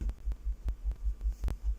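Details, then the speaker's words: Speaker after fixing a rattling ferrite core in one crossover, with glue set on the rim: deep bass pulses about five per second, clean with no buzz or rattle. Normal bass reproduction, no rattle. "no not nice no more rattling"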